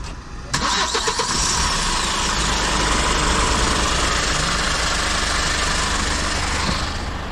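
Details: Hyundai H100 CRDi diesel pickup, 215,268 km, after replacing a loudly rattling timing chain: cranks and catches within a second, then settles into an even, steady idle with no chain rattle; sounds healthy.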